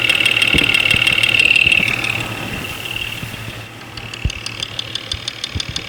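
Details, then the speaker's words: Jeep 4.0L inline-six idling, heard through a multi-channel tester clamped at the injectors: sharp regular ticking near four per second; number five cylinder is quite loud, spark plug wire to be pulled to test; cause unconfirmed. "number five cylinder is quite loud"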